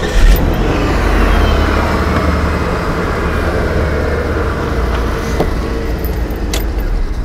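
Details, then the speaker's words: 2000 Chrysler Sebring JXi with a no-crank fault, after the starter was replaced: strong, steady, even cranking rhythm with no clicking or grinding; the new starter fixed it. "Pete put a starter in this. It did fix it. Let me let you guys hear it. We're gonna crank it over."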